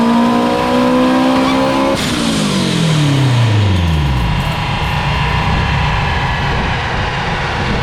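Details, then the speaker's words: Acura RSX turbo on the dyno at full load after fuel pressure set and duty increased: engine screaming, then a sudden crack and pitch collapses into a falling drone as boost dies; turbo failed. "think the turbo just went. Yep. It did. That's where I see it. Yep. My turbo just gave out."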